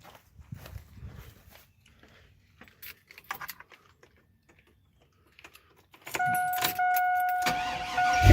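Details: 2002 Chevy Avalanche with freshly swapped engine, first start: keys and handling, then the engine cranks and catches into a steady idle with no squeak; earlier squeak attributed to lifters needing oil; starting and running normally.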